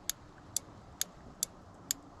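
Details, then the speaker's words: Electric cooling fan relay on a 1973 C20, with power applied to pin 86 (85 is ground): six crisp, sharp clicks about twice a second over a quiet background. Normal relay click. "you can hear it click. And then 30 is the power going into the relay. And 87 is power coming out of the relay to the fan."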